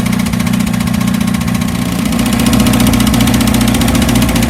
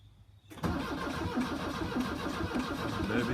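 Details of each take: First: 1982 VW Vanagon Westfalia diesel on a chilly day, just started after a new battery, glow plugs and starter: even clatter at steady idle, about three to four beats a second, no misses or surging. A normal, healthy idle. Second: 1982 VW Vanagon Westfalia diesel with new glow plugs and starter, chilly day: after the starter engages, a slow, uneven chug about three times a second that never catches; cranks but won't start, battery sounds weak, jump start planned.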